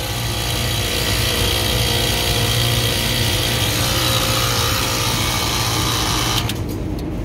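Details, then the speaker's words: Dirty, beat-down restaurant kitchen AC unit fired up after fan motor fitted: loud harsh gritty roar from compressor at startup until power cut; sounds like dirt, contactor looks burnt, may be short of oil. "well that certainly doesn't sound good compressor itself sounds like dirt"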